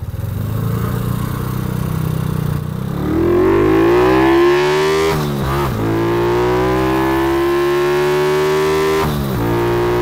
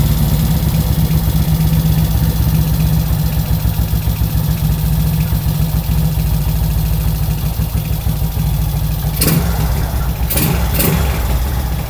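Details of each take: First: Kawasaki ZX130, test run without air filter: note climbs at full throttle then flattens near the top with dips at shifts; owner thinks it generally bogs above 8,000 rpm, cause unconfirmed. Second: Kawasaki ZX130 single-cylinder after kick start, 28 mm carburettor: fairly steady idle with brief throttle blips, runs smoothly and catches cleanly.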